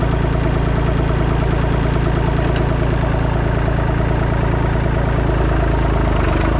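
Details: Massey Ferguson 245 three-cylinder diesel tractor (Perkins tag), revived after 12+ years, burnt/melted radiator, driven to barn; deep, steady chug about two beats a second, even, no knocks or misses. Normal running.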